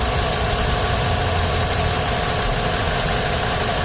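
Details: 2010 Chevrolet Silverado 5.3L V8 with codes P0300 and P0304, intermittent misfire, plugs replaced 6 months earlier, RPM bouncing: an uneven loping low idle rumble. Cause found was a loose spark plug.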